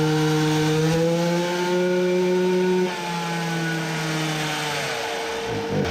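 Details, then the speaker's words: Tuned Samurai 40cc two-stroke with a new cylinder on a dyno; buzz climbs a little, then sags and flattens, giving 3.13 hp against a previous 3.63. It will not rev under load as it did freewheeling, though it no longer sputters. "should have guessed that it won't rev under load like it did freewheeling but one would guess that it would rev still a bit more than this"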